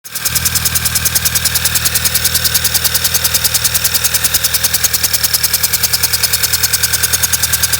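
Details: VW B6 Passat with a flashing check engine light: rough idle with a hard, fast tapping pulse about three times a second that stumbles now and then.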